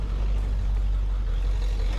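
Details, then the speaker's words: Ford OBS 7.3 Powerstroke diesel after KC turbo install, oil in downpipe, checking fuel pressure: deep steady rumble, even beat, no knocks or rattles; running smoothly, just aerated. "Yeah, sounds all right. We are good, senor. She's just aerated."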